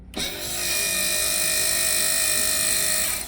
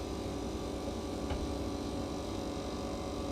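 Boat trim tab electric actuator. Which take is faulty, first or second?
first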